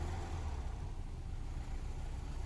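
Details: 1964 Karmann Ghia 1600 with a long-running rough cold idle. Here the warped carburetor base and vacuum leak are fixed and the alternator fan is off. Low, steady, even idle with no rattle or tapping. The rattle was later traced to the alternator.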